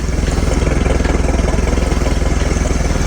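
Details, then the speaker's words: 1976 Mercruiser 120hp in a Starcraft boat, cold start on full choke during winterizing: fired right up, steady even thumping at about 200 beats a minute with no knocks or misses; normal cold idle as the choke opens. "she fired right up pretty"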